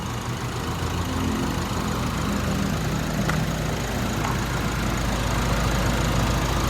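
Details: Nissan Navara diesel truck, after a no-start problem was solved: steady low diesel rumble ticking over evenly with no misses or knocks; idles normally.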